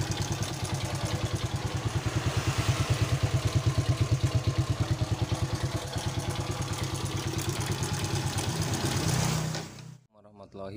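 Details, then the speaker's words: Yamaha Vega ZR motorcycle engine, very noisy at idle before the head and magneto side are opened: hard, clattery beats at about three per second ride over the idle; cam chain rattle (slack chain, broken tensioner) plus a top-end knock. "Seperti pada awal video, kita sudah mendengar dan melihat suara pada motor Pega ZR ini sangat berisik."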